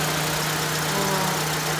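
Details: 2005 Mitsubishi Lancer, engine restarted with A/C on after wrapping the low-pressure A/C line with insulation and refitting the fan: steady, even idle with constant low hum and cooling fan whoosh; running normally.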